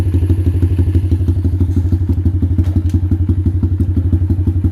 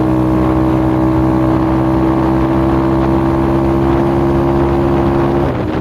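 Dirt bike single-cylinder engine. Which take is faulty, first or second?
second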